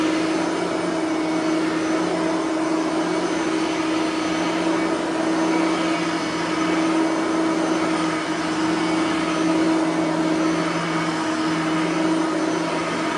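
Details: Bissell 3510-9 (9 amp) upright vacuum after greasing both brush roller bearings; steady even motor hum, constant tone, no scraping or rubbing from the brush roll anymore; normal running.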